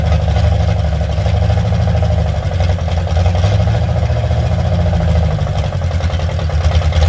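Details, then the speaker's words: Carbureted car, loud from having only a Y-pipe and no exhaust: a low, uneven rumble held at high idle, wavering slightly. It won't run well unless the idle is turned way up, and the choke-side idle mixture screw does nothing; owner blames the carburetor and plans a Holley. "This thing doesn't want to run very good until the idle gets way up on it, which reminds me I got to go grab a screwdriver."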